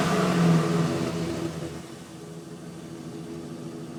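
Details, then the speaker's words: 1999 Chevrolet Silverado K1500 with a 5.3 L V8, phone recording by the tailpipe: a rev fades back to a steady, even burble with no ticking or puffing; a clean, leak-free exhaust. "Heavy duty alternator on it. Exhaust. Burns clean. No leaks."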